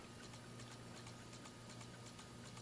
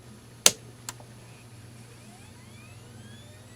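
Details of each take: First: 2004 Dell Latitude D505 with failing 2.5-inch IDE hard drive, booting from CD before imaging: quiet hum with sharp regular ticks about three per second; drive clicking, cause unknown. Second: Old hard drive spinning up, recorded close to the mic: a click, then a soft whine rising smoothly in pitch over about three seconds and settling. The drive sounds perfectly normal.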